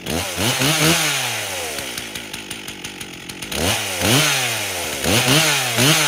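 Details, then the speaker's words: 1998 Stihl 044 Magnum chainsaw, fully rebuilt, first test run with 25-inch bar, idle spec 2700 rpm: throttle blipped up and down, then fairly even steady two-stroke idle; idle sounds acceptable, carburetor tuning still pending. "so she isn't idling too bad just by the sounds of it"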